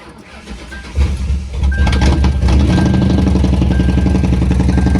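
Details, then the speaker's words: 2003 Ford Police Interceptor V8 after Cal-Van insert kit repair of misfire, cold start with low battery: cranks, catches and settles into steady even idle, no stumble; normal cold idle, misfire gone. "it's a little cold and the battery was low so I'm gonna let it sit here and run and get his battery charged up"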